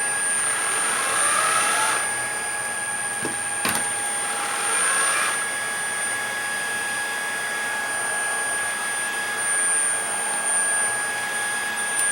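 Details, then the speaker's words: Shark ICZ362H Vertex vacuum, steady whine; brush roll won't spin, switch tested fine, head comes on for just a second then drops out when turned, intermittent brush roll motor power from a broken wire running from the handle. "okay the roller doesn't come on but if we turn the head comes on for just a second and"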